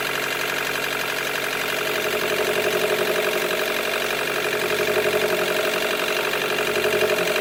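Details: 2013 Chevy Volt range-extender engine with code P0101 idling unevenly, hollow pulsing beat near four per second that stumbles; poor mileage, power loss above 70 mph, shutdowns; not fixed by MAF, plugs or coil pack; rough misfiring idle.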